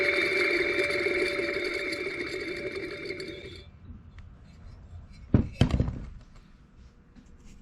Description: Found a bad bearing in the alternator on the Ford 9N along with some Bee's hibernating for the winter.